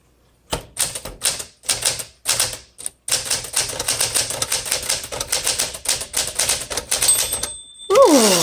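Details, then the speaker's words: 1963 Smith Corona Sterling 5AX series typewriter. Crisp, even keystroke clacks, then a clean margin bell ding at the end of the line. Normal typing and bell with a great feel; only the carriage return handle grinds. "That's a nice bell. Okay, again, I give this an A for mechanically in terms of its typing. Has a great feel."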